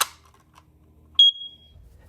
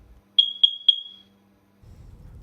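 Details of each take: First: Smoke alarm battery replaced and door closed: a sharp snap, then one clear high beep that fades as the battery makes contact, which is normal. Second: Smoke alarm giving three sharp, high-pitched beeps about a quarter second apart; three or five beeps can mean the detector itself is faulty or at end of life and needs replacing, while one beep every minute means low battery.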